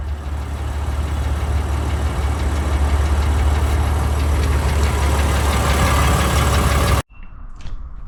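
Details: BMW M4 F8X S55 cold start: loud deep rumble with a fast, uneven valvetrain tick/knock from the cam carrier, caused by factory incorrectly torqued exhaust cam ledge bolts; fixed by replacing the bolts.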